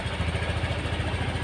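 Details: Honda Scoopy eSP fuel-injected scooter started by jumpering the ignition wires: small single engine fires up and settles into an even, steady putter with no misses or knocks; a healthy idle.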